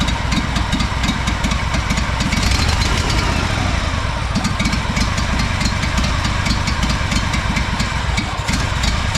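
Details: Honda 4118 riding mower, GXV610 V-twin with new coils and starter and ignition timing checked: it has a loud, choppy idle with pops and stumbles; the cause is unknown and the muffler is to be checked next.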